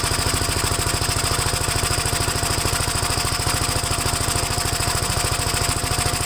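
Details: Gravely single-cylinder engine after first start following gas tank install and new battery terminal: fast, even chuffing pulse on full choke, not yet tuned; choke later turned fully off and it runs all right.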